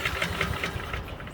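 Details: Honda HRN 216 push mower not starting: a quick recoil pull chuffs a few times at about five beats a second then fades without catching; a wet spark plug is the suspected cause.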